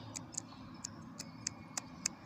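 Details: Ford Focus 3 engine running: sharp, light, slightly uneven ticks about three per second over a quiet hum. The owner calls it piston pin knock; unconfirmed.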